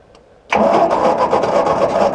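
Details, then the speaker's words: Ford NAA Golden Jubilee tractor (1953/1954) sat over 20 years, 6-volt starter run on 12 volts: starter churns at a steady rhythm, never firing; good spark confirmed, owner suspects too much Marvel Mystery Oil wetting the plugs. "Oh yeah, we got a good spark. Good spark. I think we just got too much Marvel Mystery Oil on the plugs."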